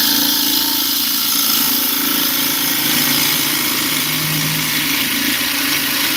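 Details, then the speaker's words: Lathe turning an 8x4-inch walnut bowl, thinning the side wall with a gouge: steady bright cutting hiss, then a lower growling tone creeps in briefly, tear-out on the wall. "Can you hear the difference in that tone? That is tear out happening."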